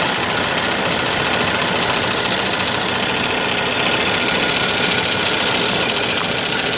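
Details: Cummins ISX diesel with loud clatter and uneven knocking that never settles; running rough, owner suspects a bad fuel pump, not confirmed.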